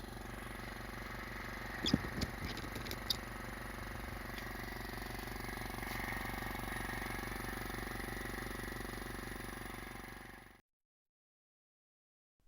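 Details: Scrapyard compressor, running after final fitting adapters: smooth, even pump pulsing with steady motor hum for about ten seconds, then a clean stop; quiet and healthy.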